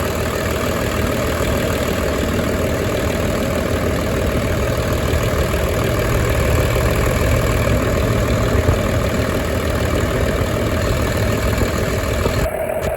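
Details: 1996 Dodge Ram 2500 with 12-valve Cummins diesel, started after sitting seven years, fuel system primed: steady even diesel clatter, no surging or knocks; normal warm idle.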